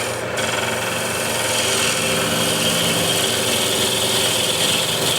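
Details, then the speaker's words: Woodturning lathe, rough push cut shaping outside of bowl blank with bowl gouge: harsh, rasping cutting hiss with uneven buzzing chatter through it; gouge vibrating from improper technique. "because if you're not doing it right then you can get like this kind of vibrations which are not pleasant on your hand"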